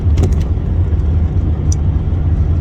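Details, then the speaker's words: Ford XH Falcon ute after an automatic transmission swap. On the second test drive, after a slipping first run that needed almost another 2 litres of fluid: steady low drivetrain rumble with no flare, whine or clunk; the auto now shifts through all gears perfectly. "And now, it's driving perfect. All gears, so it was trans the whole time"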